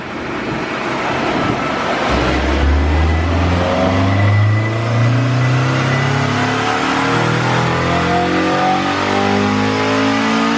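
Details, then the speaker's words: Honda Civic Si coupe, eTuner-tuned, full-throttle dyno pull: smooth, steadily rising pitch through the revs, no stumbles or rattles; healthy engine with big gains, still slightly rich in places. "that's amazing game Wow props to the tutor on this one so I gotta say this is a real healthy one"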